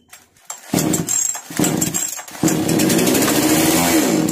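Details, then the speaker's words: Chainsaw (model read as 652) with starting problem, low fuel in tank: after petrol poured into cylinder via plug hole it catches after a few pulls, revs raggedly a couple of seconds, sags and dies; faulty carburettor. "में petrol डालने के बाद machine start होकर बंद हो गया है"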